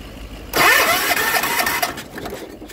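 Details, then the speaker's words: 40-year-old John Deere 300 garden tractor, hard to start after winter despite a carb rebuilt last year, with compression near 125 and a wet, dark plug: ragged starter cranking that nearly catches but won't start. Spark is present. "It's pretty wet and dark. Let's give it another little crank just to make sure we blow anything out. Sounds healthy."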